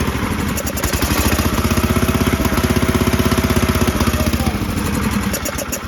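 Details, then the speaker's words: Toro Groundsmaster 52 with a swapped-in Briggs & Stratton 16 hp cast-iron single, on a bigger charged battery: strong, steady cranking at about four turns a second but no start; suspected lack of fuel, carburetor to be removed and checked. "It's not getting its gas. We'll take the carb off and see what's going on."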